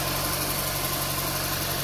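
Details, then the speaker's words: Car after replacing the PCV valve and hose, around 100,000 km: quiet steady idle hum with a faint even hiss, no ticking or knocking; nothing unusual heard. "nampaknya sekilas tidak ada keanehan ya semoga ini juga awet sih"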